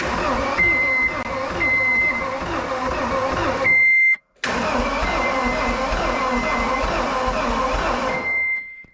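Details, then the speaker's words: John Deere 320D skid steer engine, non-running auction machine, cranked twice over a warning buzzer: lumpy, irregular rhythm suggesting low compression on one cylinder; owner suspects a dropped valve, unconfirmed. "that sounds to me like it's got a low compression on one cylinder so I guess we're going to tear it down and see what we find"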